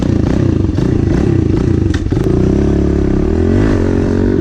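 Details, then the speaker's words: Pit bike (small single) after a tune-up, fresh oil change, new air filter and JB-welded exhaust that had broken, warming up: revs then settles into a steady, even idle with no exhaust leak chuff or ticking; normal idle. "So I'm gonna quit talking, let this thing warm up. Everything got a good little tune up."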